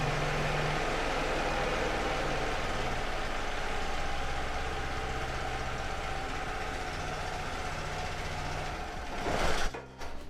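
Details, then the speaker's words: Small portable petrol generator, governor speed screw being turned to reduce fuel use: engine sound rises clockwise and falls counterclockwise, otherwise running evenly; engine speed change during governor screw adjustment. "Okay, if you are listening to that sound very well, you will notice that when I took the screw to the right, that is clockwise, the sound of the generator increased. And when I took it to the left, the sound of the generator reduces."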